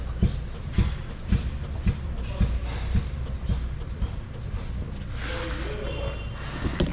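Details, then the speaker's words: 2019 Hyundai Santa Fe, right rear, car rocked by hand: dull thud about twice a second, more obvious when driving over bumps. The shock absorber is worn and leaking. "So the rear shock, right rear, and I found that it's leaking there. Okay, so you can also duplicate the noise by rocking the whole car, or you can drive it."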